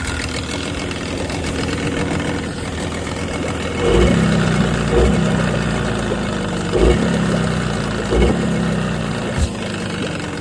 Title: Tohatsu 18hp suffering engine knock #2stroke #knock #outboard #blown